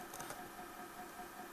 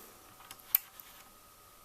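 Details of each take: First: NAD 5120 turntable (Czechoslovak-made, 1980s, early orange-bulb version) AC motor running: steady whirring hum with buzzy mid-pitched tone, louder than it should be, vibration felt through the chassis; motor to be removed and serviced. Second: NAD 5120 turntable (Tesla NC470-based, 1980s Czechoslovakia) after servicing its noisy AC motor, deck open, spindle not yet fitted: almost silent, faint steady hum and handling clicks, no scrape or rumble; motor now runs quietly.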